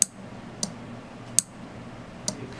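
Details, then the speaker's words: 5 V relay module, input pin touched to ground to pull it low: four crisp separate clicks less than a second apart over a quiet background; relay switching on and off cleanly. "to activate the relay the corresponding pin must be pulled low if we touch one of the pins wire to the ground you can hear the relay clicking on and"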